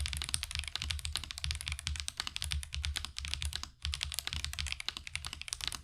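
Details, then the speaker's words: Marvo KG972W gasket-mount mechanical keyboard with tactile switches: fast typing with sharp, bright, high-pitched ticks on every keystroke, caused by the tactile switches. "Overall, it does sound a bit high-pitched and ticking. I'm pretty sure that's because of the switches that are causing the ticking that you hear that makes that really high-pitched sound"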